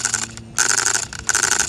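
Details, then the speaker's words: Nitro RC car with the engine running well, wheels turning: sharp, high buzzing bursts chattering as the steering servo hunts for position; the steering servo is suspected damaged. "these tires look listen to that hear that when they turn it watch yeah that servo might be toast"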